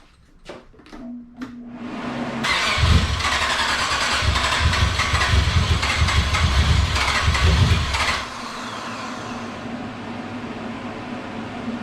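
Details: Nissan G35 with VH45 V8 swap, first start after three months, converted fuel rail, no cooling connected, run briefly: cranks, catches, revs strongly for several seconds, then settles to steady even idle with no knocks; normal start and revving.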